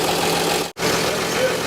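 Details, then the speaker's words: 1948 Chevy truck abandoned 58 years, running on a replacement engine after the original had a rod knock. Smooth, even idle like a sewing machine, idled down a lot, with no cooling hooked up yet so it can only run briefly. "sounds good yeah we had to idle it down quite a bit last bowl working sounds good good sounds real good sounds good yeah sounds good we did a good job I'm happy with it"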